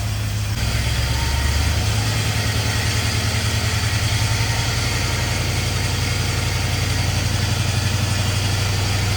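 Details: 1951 Chevy with LS swap, first start-up: deep lumpy uneven idle, running on only four cylinders because one bank's injectors aren't firing.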